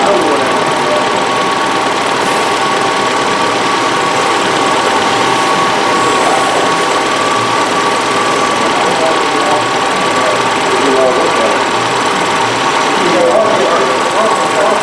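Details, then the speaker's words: 2011 Ford Fusion with P0455 EVAP code, cold engine during warm-up idle, new purge solenoid plugged in: fast even ticking over steady idle as purge valve cycles crisply; normal, replacing the old sticking valve. "When it's cold during the warm-up is when the purge turns on."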